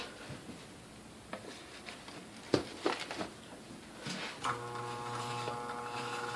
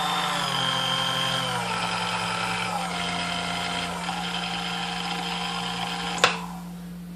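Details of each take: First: New-old-stock Sunbeam Mixmaster Model 11 switched on: a few clicks, then a steady low electrical hum as the motor never turns. It is stalled by old, hardened original grease from long storage; the cord also sounds crunchy. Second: New-old-stock Sunbeam Mixmaster Model 11 found new in box but not working, after service with cleaning, lubrication and gear and bore polishing: smooth, even motor hum with steady whir, no knocks or grinding; runs like brand new, normal running.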